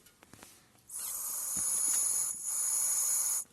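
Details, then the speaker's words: 2000 Toyota Tundra 4.7 L V8, code P0171, engine off: the normally closed purge (EVAP) solenoid, unpowered with hose removed, passes air freely with a hiss when blown through; stuck open, also leaking through a cracked hose. "تسمع في الصوت انه شنو؟ مستك نورمالي اوبن، مستك على وضعية الفتح. فهنا بدون ما تجي اي كهرباء دائما مفتوح، يبقى شنو؟ يسحب في بخار البنزين ويدخل فيه على المحرك، هذا يسبب شنو؟ يسبب سيستم تورتش غني."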